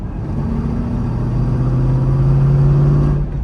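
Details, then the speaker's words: C5 Corvette with 3.90 gears and HPI differential brace installed, cruising about 50 mph at 1,700 rpm: steady low drone, even hum and faint vibration; drivetrain sounds smooth and healthy. "otherwise the drive train noise really isn't bad you can hear a little [Music] vibration"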